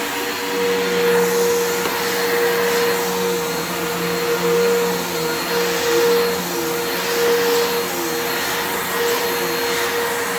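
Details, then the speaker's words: Bissell PowerForce (3537) vacuum: the steady motor whine is quieter than usual, its pitch sagging and recovering every few seconds; the armature and brushes seem to be struggling and the motor may be failing. "yeah, that motor is struggling. It kind of reminds me of, like, it sounds like it's going out. Like, it's definitely, it's not loud. Like, it's quiet. It's quieter than these usually are, in the sense that I can tell the armature and the carbons are really fucking struggling."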